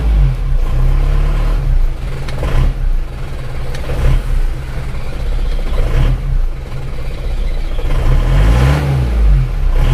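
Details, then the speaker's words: Isuzu Panther diesel after nozzle, valve and injection pump timing setting: harsh rattling knock on every firing stroke over a heavy low drone, the "rang-rang" sound of pump timing set too far advanced. "untuk mengoreksi Apakah mobil ini timnya terlalu maju atau standar kalau termaju terlalu maju itu suaranya rangrang gitu"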